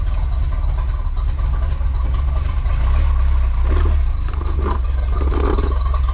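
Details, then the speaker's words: 1984 Chevy Silverado after a 305-to-350 swap: the deep V8 idle sags when put in gear and slowly recovers; the new carburetor is suspected, not confirmed. "That's in gear right now. Put it in park. That's park. You don't even plug the back in advance. Watch. Takes forever for it to recover itself. Maybe it's the carburetor."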